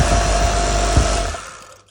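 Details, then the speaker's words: Worn Kärcher K520 pressure washer that won't start: motor hums with a steady whine, then winds down and stops, lacking power to self-start; the start capacitor is swollen, has lost capacity and needs replacing. "не хватает мощности, чтобы запуститься самостоятельно."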